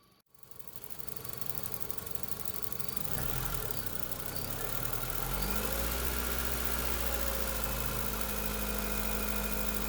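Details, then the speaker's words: 2005 Honda Civic 1.7L engine idling: crisp, even tapping about four per second that quickens as it revs, first suspected as valvetrain but felt at the purge valve; faulty purge valve tapping. "it actually sounds like it could be coming from this valve and yes sure enough if i take my finger on the first valve i could actually feel the same tapping sound"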